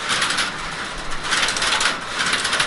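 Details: Working crossbar telephone exchange at Seattle's Connections Museum: rapid, dry metallic clatter of many small relays snapping in bursts as a call connects. Normal crossbar switch operation, faster than the older panel system.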